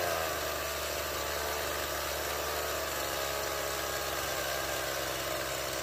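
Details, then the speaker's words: Stihl MS170 chainsaw after repair: it would not start and its idle ran far too high with an unadjustable Chinese replacement carburettor. The fuel line was replaced and the original Zama carburettor refitted. Now a steady, even two-stroke idle with a light buzz and no stumbling or surging; it runs well. "Moi drodzy, udało się nam zreanimować pacjenta. Przypomnę, MS170."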